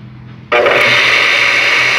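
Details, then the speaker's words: Water pump that only hummed and locked up, reassembled after rotor wear was worked so it clears the stator: motor kicks on with a steady high whine and rough hiss; owner suspects noisy bearings, to be replaced along with the mechanical seal. "y lo que sigue es conectarla y ver qué ocurre posiblemente esto esté ruidoso por efecto de los ballers paraíba"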